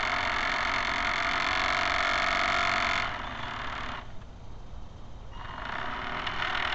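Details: Electric drive of a camera barge on its first test run: buzzy mechanical whine with a rattle about four times a second that fades as the motor slows. Noise from dog-bone motor-shaft couplers, to be replaced with flexible hose couplers.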